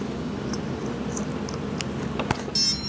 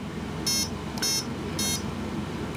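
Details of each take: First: okay when it first power is up it's going to make that sound and it's going to run through its settings Second: Turnigy AE-30A brushless ESC at power-up; three short high beeps about half a second apart as it reports its current programmed settings.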